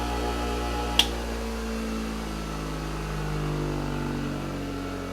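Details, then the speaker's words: New Hando bench grinder running free at about 67 dB, described as not noisy even for home use: a smooth, steady motor hum with an even pitch and no rubbing, rattle or wobble; healthy, quiet running. "Tôi đã lo lắng rằng tiếng ồn có thể rung quá nhiều và ồn ào, nhưng vì nó đang tăng tốc nên nó không đến mức tôi cảm thấy như nó ồn ào chút nào."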